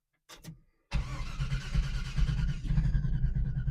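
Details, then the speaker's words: 1978 Chevy Nova V8 with new glasspack mufflers and relocated exhaust: short crank, catches within a second and settles into a deep, steady rumble; a clean, healthy cold start. "See See how good she starts. Maybe maybe I won't need to pump gas."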